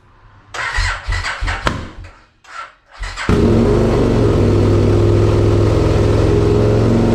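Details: 2002 Aprilia RSV V-twin barn find, first start after oil and filter change: cranks briefly, fires at once and settles into a steady, even idle with no knocks or rattles; healthy.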